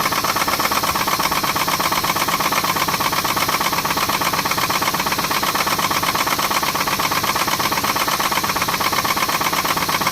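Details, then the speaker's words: 2006 Pontiac G6, restarted after an oil change following an oil filter housing gasket job, still has a sharp, regular knock at about three a second that holds as it warms. Owner suspects a rod. "It's still knocking, but well, it's got a bad grinding sound. I don't know if y'all can hear that grinding. I know y'all can hear that motor knock."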